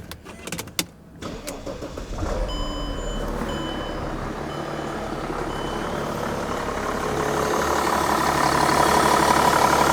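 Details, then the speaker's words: 2006 Mercedes-Benz E320 CDI inline-six common-rail diesel (about 200 hp, 370 lb-ft), serpentine belt job only: starter cranks briefly, engine catches and settles into a steady, even diesel clatter at idle, no knocks or misses; normal healthy start and idle. "sounds like a common rail cummins basically is an inline six common rail diesel"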